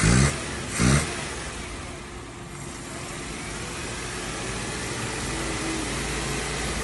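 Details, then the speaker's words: Old carburetted car with rough idle and poor acceleration, air filter cover off: after the butterfly valve was adjusted for a partial fuel-flow blockage, sharp blips then a smooth, even climb in revs without stumbling; normal acceleration. "When I applied throttle, I noticed some blockage in the fuel supply, which suggested dirt or blockage. I manually adjusted it to ensure smooth acceleration."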